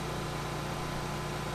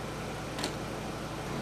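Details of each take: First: Vintage Briggs and Stratton Pulsa Jet generator, reportedly unused for years, after a full carb rebuild, RPM turned up slightly, powering an AC at about 750 W near 60 Hz: steady even drone, no surging or misses; normal running under load. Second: Vintage Briggs & Stratton Pulsa-Jet generator, unused for years, carburetor fully rebuilt, putting out 125 V at 60 Hz: steady drone sags and drops pitch under a second as the air conditioner kicks on around 750 W, then recovers; engine bogging under load.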